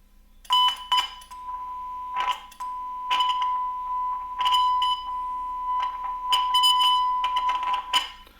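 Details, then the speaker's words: Denon AVR-X2700H receiver under repair, one audio board refitted with a signal generator feeding it to test the relay: clean steady 1 kHz tone with no dropouts or crackle, so the relay passes signal and the fault is likely on its ground side. "there you go you hear that 1K Stone coming through perfectly fine"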